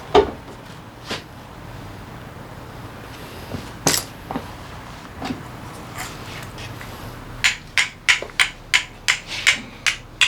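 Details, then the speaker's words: Honda PCX 125 scooter engine, torn down for repair; the crank showed abnormal play and the piston was scratched. About a dozen quick metal strikes, each dull and short with no lasting ring, which indicates a damaged crankshaft. "Tiếng kêu của tay quay bị hỏng. Bây giờ bạn biết sự khác biệt, phải không?"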